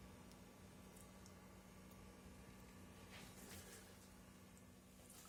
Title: PS5 electrical buzzing noise